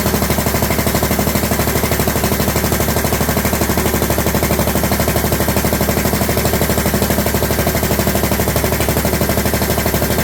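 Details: John Deere LT150 with swapped-in 15 HP Kohler single-cylinder engine, no choke, running after fuel pump primed: loud sharp rapid popping bark at steady speed; exhaust leaking at overlong studs, later redone and quiet.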